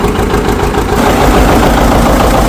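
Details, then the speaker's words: 1959 John Deere 730 two-cylinder tractor that sat outside about 1.5 years, started using the compression release, with lots of oil pressure. Loud, steady low thumping idle with an even beat and no knocks or misses. Normal idle. "Got lots of oil pressure. Put this out of here. Okay. That's nice to hear it running."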